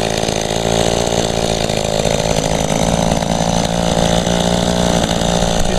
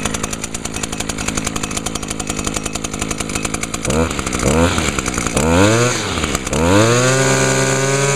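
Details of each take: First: Echo two-stroke, barely used and started for the first time in about a year with little fuel in the tank: a rough, uneven, boggy drone sags and stumbles; it is starving as the tank runs nearly empty, and a clogged spark arrestor screen seemed possible but unlikely. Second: 2011 Echo PAS 230 with a 22.8 cc two-stroke engine, just started using choke and primer: quick throttle blips climbing to a steady high-pitched buzz; revs freely and runs clean, at a much higher RPM than the SRM 225.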